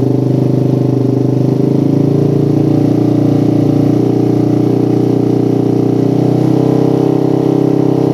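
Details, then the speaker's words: Motorcycle with a PWK carburettor and racing exhaust, after the air screw is set to about 2.5–3 turns: a steady, stable single-cylinder idle, with the helicopter-like stutter gone, fit for daily use. "nah hasil setengah setting angin idealnya stabil banget guys ini udah layak untuk digunakan sehari-hari"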